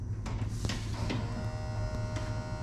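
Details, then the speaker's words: Custom overhead-cam Chevy LS engine for a '32 Ford, first startup after running out of gas, key on, engine off: steady low electric buzz with constant pitch as the fuel pump primes, sounding a bit weird. "Fuel pump sounds a little weird, doesn't it?"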